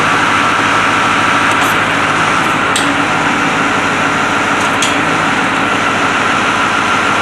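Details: White 4-175 tractor, restarted after rear main frame repairs: remote valves fitted, hydraulic oil filled, speed sensors not yet installed. Steady, even diesel drone, no knocks or misses; normal running.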